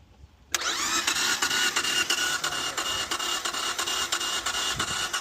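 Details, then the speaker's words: Acura at 230k miles after timing belt failure; oil was present when towed; starter spins engine fast and evenly with no compression pulses, never catches; mechanic suspects it jumped timing, not yet verified. "Okay. Yeah, that doesn't sound normal, does it? No. Yeah. One of my first guesses, I don't want to jump to conclusions, I'll do what I can to verify it, but it sounds like it may have jumped time or something with the timing possibly, because it, as you can tell, it doesn't sound like it has compression"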